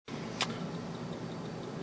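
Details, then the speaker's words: Faint steady ticking about five per second over the high whine of a running tube TV on a Predicted Tandem chassis; ticking speeds up as the image width increases; source unknown. "do you hear that faint clicking I'm trying to figure out where the heck it's coming from this is a predicted tandem chassis I've gone over everything it's working fine but there's a ticking sound the ticking varies with the width"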